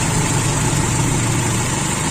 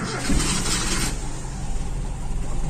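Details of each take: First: Toyota Kijang Super 5K running the original Aisan carburetor with FMT jets, with a steady, smooth low idle and no stumbling. Owner unsure whether it settled because fuel was running low or the idle was previously set too high. Normal idle. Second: Toyota Kijang Super 5K with original Aisan carburetor and FMT jets, fed from a jerry can, fuel line empty: starter cranks steadily for a long stretch without catching while air purges from the line.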